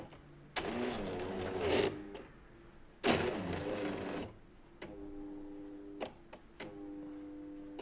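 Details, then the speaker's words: Jura coffee machine with error 8: brewing unit drive motor runs in short bursts with a low, laboured hum, straining under heavy load. "on teraz zadziała Ale pewnie słyszycie jaką ciężko chodzi"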